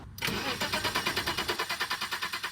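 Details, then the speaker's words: 1985 BMW 635CSI E24 after sitting 12 years: steady starter cranking at about eight even beats a second with no firing at all. Cranks but won't start, with no spark. "now if youve worked on enough of these cars you can actually kind of hear when they don't have spark uh I can like I could tell right away this card enough spark"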